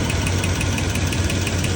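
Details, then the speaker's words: 2005 Lexus GX470 V8 daily driver, about 317,000 miles: sharp light ticks, about seven a second, over a steady idle; real bad ticking from the valve train, cause unknown. "It's got a real bad ticking noise coming from the valve train."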